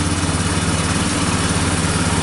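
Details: Yamaha Bear Tracker 250 (YTM250) ATV single-cylinder idling after a new carburetor and intake, on a jump pack, lights on and owner thinks it's charging; steady, even putter with no misses, knocks or hunting, a normal healthy idle.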